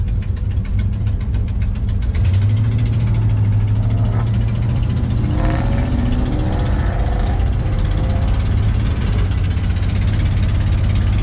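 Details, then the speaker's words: Modified 1964 Dodge Polara at low idle: deep, loping, uneven idle that sounds close to stalling, but that is just how its performance cam is set; normal. "That low idle is what I was talking about, where it sounds like it's almost about to stall out, but sure enough, that's just how that cam is set."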